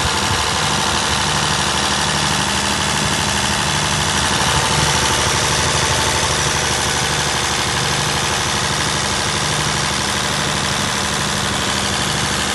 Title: What a Perkins 1103A-33TAG2 Diesel Engine Sounds Like | 45kVA Prime Power in Action